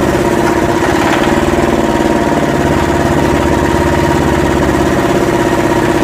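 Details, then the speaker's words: Yanmar SB12 marine diesel on a sailboat, cold day (about 41°F), during fuel line repair: idles with an uneven, unsettled clatter around 160 beats a minute after the fuel system was bled again, then dies; cause unclear. "I'm not sure why it died. Alright, we bled it again, see if it lasts longer."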